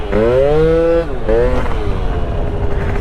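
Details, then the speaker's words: Honda Dio scooter with smart carb being tuned, riding; revs climb, sag and flatten then pick up, hesitant pull off the line; bog on acceleration, rider suspects slightly lean mixture and CVT needing tuning. "i feel like maybe a little lean now you hear that like [Music] that bog"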